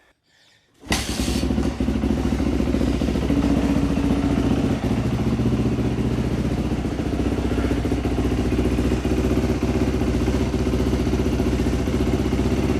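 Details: Dirt bike after a top-end rebuild, now fixed: idle speed had not been adjusted and fuel squirt was not working before; quiet first second, then the single fires and settles into a steady, even popping idle without stumbling; normal idle.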